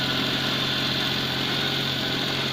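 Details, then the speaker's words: 1999 Daewoo Matiz 796cc, just after cold start (new exhaust): steady even engine hum held at a fast unchanging idle, a little high; owner suspects cold idle not working and idle cranked up, unconfirmed. "a little high on the idle, isn't it?"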